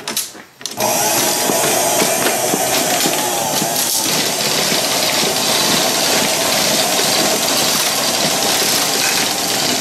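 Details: 1930s Paces Races horse-racing payout slot machine after restoration and repair, started with English pennies: brief pause, then steady, even mechanical churn with light rapid clicking through its cycle; running normally.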